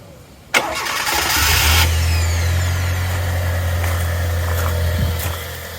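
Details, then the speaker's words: Classic Fiat Panda, after starter motor repair (previously refused to start at awkward times): brief crank catches quickly, settles into smooth even idle with no misses or knocks; healthy normal start. "that sounds healthy. Very healthy. Yeah, nice and healthy indeed."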